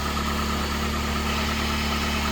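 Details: 2002 PT Cruiser sitting 9 years, after refitting the original crank sensor in place of an aftermarket one: steady, even idle with smooth low hum, no misses or knocks; healthy after repair.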